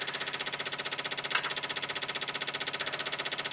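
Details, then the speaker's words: 1995 Dodge Ram V10 cold no-start, engine off: ignition module replugged, PCM 8 V reference up from 3 to 6 V, relays chattering in fast steady machine-gun clicks; PCM internal 8 V regulator failing. "I'm gonna plug this ignition module back in plug it back in we're up to six volts again our relays are clicking like crazy"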